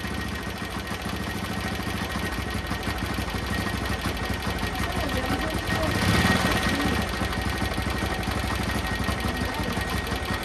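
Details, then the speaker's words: Old Pulsar motorcycle engine at idle after valve (tappet) clearance adjustment: an even idle with a faint, fast tick about four a second, much quieter than before; a light valve tick remains. "Okay, I can still hear the tick tick sound, but it's way less than before. The sound is actually way better than before, but it is still a little bit of that ticking noise."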